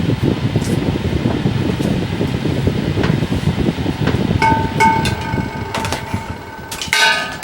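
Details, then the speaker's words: Bersted 8-inch electric fan after about 30 minutes running: irregular tinny rattling over low hum; owner believes the rotor scrapes the stator as parts expand with worn bearings; oiling about every 30 minutes helps. "as you can see it's running very quietly now but after this fan runs for about 30 minutes it will start making some rattling sounds uh which i believe is the rotor commutator rotor whatever scraping the inside of the stator because things expand and the bearings are worn out"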